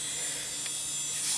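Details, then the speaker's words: Old Dell Precision 340 (Pentium 4) hard drive: thin, steady high-pitched shrill from worn ball-bearing spindle, almost no low hum. "there's the hard drive that's just shrilling away over there that's the thing I don't miss about old hard drives with ball bearings"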